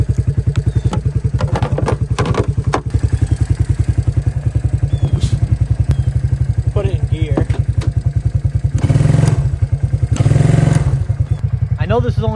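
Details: 1993 Suzuki King Quad 300 with reported total power loss, weak battery, started with jump: single-cylinder thumping about three and a half beats a second, idles, but throttle blips sound flat and bog; carburetor suspected, not confirmed.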